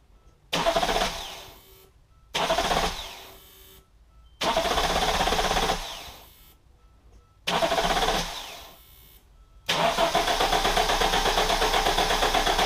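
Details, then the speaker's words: 1987 Audi 5000 CS Quattro turbo, CIS injection, after new fuel injectors and spark plugs: short cranking bursts, then settles into a steady, even idle without the former 15-second stutter; normal start and idle. "there we are i have to say this thing runs a lot smoother and when i turn it on it doesn't do that stuttering in that first 15 seconds"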